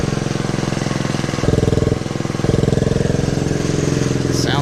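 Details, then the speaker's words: 1969 Honda CT90 Trail, 53 years old, non-runner brought back to life, air cleaner not yet fitted, oil black and overdue for change: small single ticking over with even crisp pulses and a slight blip; sounds pretty good, normal idle. "there we go sounds pretty good so now I got this little air cleaner that I'm going to put on here"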